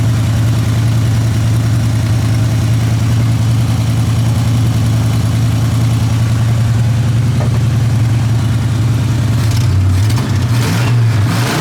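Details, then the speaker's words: Old truck V8 parked for months, started without touching the throttle; loud lumpy loping idle with shake, then a throttle blip, a cylinder dropping out. Owner suspects a rear cylinder is down; cause not confirmed. "yeah yeah so you hear that we're gonna be we're gonna be we're gonna be we got a cylinder that's down it's looking like it might be this one in the back here"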